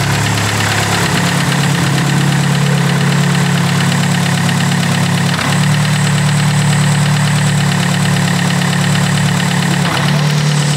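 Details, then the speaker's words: Tuned engine running after the gearbox restoration and a small-to-large cam change; hollow rapid knocking at about three per second rides over the idle, unchanged when the clutch is pressed. Mechanic thinks it sounds like piston slap, possibly a broken skirt. "Cela ressemble à une bascule à piston. La lame est cassée ou quelque chose comme ça."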